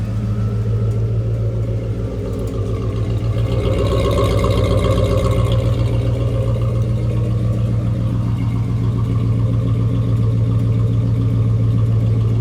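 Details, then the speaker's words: 1996 Ford Ranger with 5.0 V8 swap and newly fitted 5-speed transmission, idling: steady low rumble with a faint intermittent clicking rattle that comes and stops; source unclear, owner suspects clutch springs. "It has a little bit of a rattle. I'm not too sure what it is. It sounds like maybe the spring's in the clutch or something"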